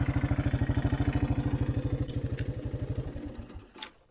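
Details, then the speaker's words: 1984 Honda 200 Big Red three-wheeler, repaired after sitting about 25 years: even single-cylinder thumping, steady and clean, before it winds down and stops; engine sounds healthy. "could not get one to work at the moment but the motor sounds good"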